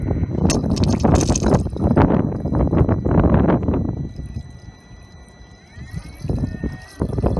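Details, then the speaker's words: 2011 BMW 535i after a water pump replacement (earlier code P0128 and cold air from the vents): uneven gurgling and trickling of coolant over a low hum as the new pump circulates and purges air pockets. The owner had feared the pump was bad; the battery read low. "There you go. See, that's what you want to see. I don't know what was going on. It scared me. I thought the pump was bad."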